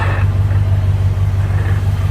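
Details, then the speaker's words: Worn 1957 Chevy convertible with over 250,000 miles, idling after exhaust manifold bolts were retightened; smooth, heavy idle rumble, the earlier clack-clack in the exhaust at idle gone, manifold seems sealed, normal idle. "it's I think it's sealed up because even at idle before you hear that clack clack clack in the exhaust"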